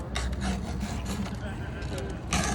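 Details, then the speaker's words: Hand-filing an already sharp chainsaw chain with a golf-ball-handled file, no jig, force pushed one way: steady rasping strokes two or three a second, metal filings falling; two or three strokes per tooth, correct filing. "it should only take two three two or three like that see all the metal that falls out you hear it"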